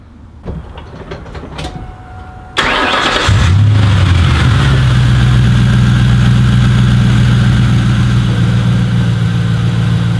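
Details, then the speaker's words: 2004 Ford Mustang GT V8 after replacing the idle air control motor: cranks, fires and settles into a steady even idle, no longer making the fluttering noise in the air intake that occurred only at idle with rising and falling RPM. "far so good I've been left alone for about 15 minutes hasn't been doing that fluttering noise so hopefully that took care of the problem"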